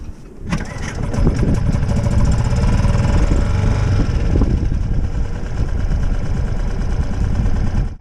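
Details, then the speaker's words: Brand-new outboard on a sailing boat, first-ever start after priming the fuel bulb until firm, in neutral with choke out: it catches at once and settles into a steady, even putter with no stumbling; a clean, healthy first start. "What a difference that is. You can hear me speaking hopefully without the wind."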